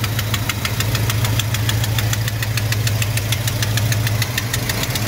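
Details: 1971 Chevy C10 Longbed V8 at idle: a sharp, steady ticking of several light taps each second, getting louder; the truck also hesitates and won't accelerate.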